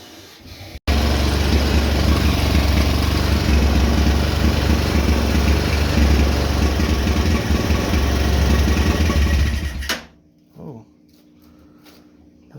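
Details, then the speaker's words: $180 Chinese 250cc quad after carb cleaned (found dry): single cylinder firing fast, slightly uneven, about four beats a second, then stops abruptly; runs rough and high on choke, won't run without choke, owner thinks throttle set way too high. "not want to run without the choke. I think that throttle's up way too high. Gonna have to play with it, but it runs."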